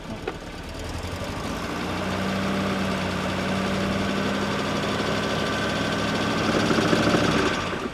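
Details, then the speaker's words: Car revived after being dead, driving test: engine note climbs with rpm then drops cleanly as the gearbox shifts up; smooth normal gear shift, sound judged good. "እይ አሁን ጨመረ። ቀየረ። ኦኬ ሲቀየር ድሮፕ ያደርጋል።"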